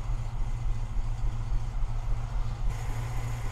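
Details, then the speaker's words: 1991 Moskvitch IZH 412 sedan, carbureted, just started cold with choke about a quarter out after hand-pumping fuel: even low steady rumble, no knocks or misses; healthy idle while warming up. "start it up just like a fuel injected automobile we're gonna warm it up and take it out for you to see the rest of the vehicle"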